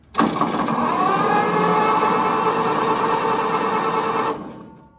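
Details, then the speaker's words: Case VAI engine cranked with spark plugs removed: smooth, even whirring spin for about four seconds with no binding or knocks; turns over well. "she turns over well step two let's put spark plugs in this thing again and see if it'll actually start this time"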